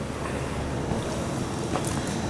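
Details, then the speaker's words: Gas boiler with heating issue, burner running after thermostat wires jumped (red to common); stuck thermostat not making connection suspected: even, steady low roar, no clicking or cutting out; burner lit and running normally. "can hear it running yeah she's warm she's running the thermostat's back unbelievable huh"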